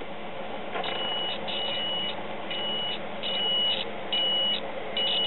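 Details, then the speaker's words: Graymark 3-tube shortwave regenerative radio kit (12AT7, 50C5, 35W4): continuity tester beep cuts in and out as the variable tuning capacitor turns, indicating shorted plates on both sections. "yep you hear how it's doing that indicat shorted plates on the uh variable tuning capacitor and it does the the same thing on this connection right here on the other section of the tuning cap"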